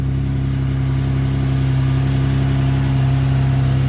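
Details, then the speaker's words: 2011 Ford Explorer first start after new powertrain installation, oil confirmed flowing, no dash warning lights; smooth, steady hum with even low pulse, no knocks, ticks or whine; normal running. "Purring like a kitten. Listen to that. No lights on the dash? Wow, no lights on the dash. We got it running."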